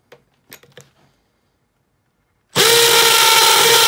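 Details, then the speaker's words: Makita XPH07 brushless cordless hammer drill on the hammer-drill setting, drilling concrete to depth-gauge depth: a few handling clicks, then a loud, steady whine with a fast, even hammering buzz. Normal hammer action. "gonna put it on setting to hammer drill and we'll see how this does"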